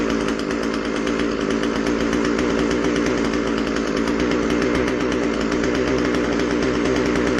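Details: Husqvarna 136 chainsaw after carb rebuild (rotten fuel line, dirt had gotten in, would not start or run decently): two-stroke holding a steady, crisp high buzz, no stumbling or surging; running cleanly.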